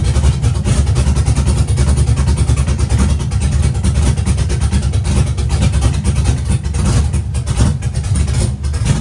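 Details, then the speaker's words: Chevy truck with LS-swapped big-cam V8 revived after sitting for years, no water pump fitted, while adjusting ignition timing toward ~25–30°: deep even rumble, steady, no misses or stumbles; running smoothly, much better than before. "It's definitely running a lot better than it was the other day."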